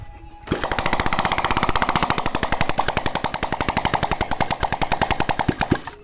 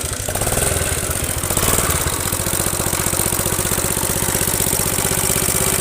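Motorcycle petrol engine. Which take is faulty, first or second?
second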